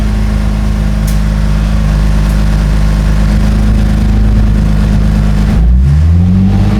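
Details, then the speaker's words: 2004 Infiniti G35x with a used ECM, keys reprogrammed, after MAF trouble: steady, even warm idle at 750 rpm with no misses or surging, then a smooth change in engine note. Normal idle, no idle relearn done. "I'm at 750 RPM on this. I'm not doing the idle relearn."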